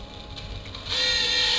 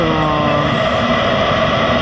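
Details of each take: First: Eberspächer Hydronic D5 second-generation 5 kW diesel water heater on test, fault codes 12 and 15: thin, steady high whine from the coolant water pump running dry with no water in it. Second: Second-generation Eberspächer Hydronic 5 kW water heater with fault codes 12 and 15, bench test without an exhaust muffler, after about 800 seconds heating a 90-litre tank: a steady, even burner roar with constant fan hum; running normally.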